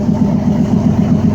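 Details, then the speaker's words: 2004 Dodge Ram 1500 V6 after replacing both driveshaft U-joints (Master Pro at rear): steady low drone with mild even pulse, no clunking or shudder; driveshaft rotating smoothly. "So we got good rotation. This spot is nowhere near as bad as it was before."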